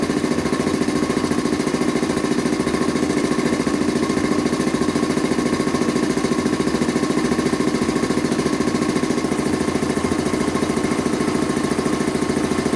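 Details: Rebuilt Quincy 325 air compressor on its first test run after head and valve rebuild, with discharge and unloader control lines hooked up, pumping up the tank: fast, even pounding rhythm with no extra knocks. Normal running.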